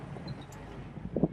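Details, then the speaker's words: Jeep Wrangler TJ crawling slowly over big speed bumps after a $30 transmission-related fix: low quiet rumble with only soft muted thuds and no clunk. The earlier noise, once blamed on broken bump stops, was the transmission. "noise no bombs no nothing I honestly thought it was my broken off bump stock stuff for making all that noise but nope it was the transmission"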